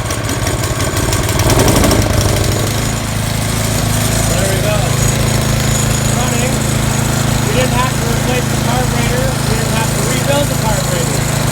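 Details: YardWorks 22-inch 179cc snow thrower, electric-started, engine already warm, after replacing gaskets destroyed by over-tightening: brief start-up flutter then steady even drone with no surging or hunting; running healthy.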